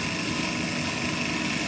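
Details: Payne furnace not igniting: steady electrical buzz with thin high whine and no spin-up; inducer fan motor straining and failing to start.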